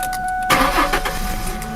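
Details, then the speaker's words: 2001 Ford Mustang 3.8 V6 with a sputtering misfire and a new EGR valve, wires and plugs: a brief crank, then it catches at once and settles into a smooth idle. Normal engine start. "Starts okay. Let's go and look at exhaust."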